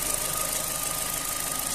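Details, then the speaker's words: Opel Z16XER engine after replacing worn camshaft phaser gears (constant gear knock, low oil pressure), warmed to 107°C with oil pressure 1.5: warm idle steady and quiet, even hum with faint high whine, no knock or tick; repair successful. "тихенько працює все ремонт вдалий"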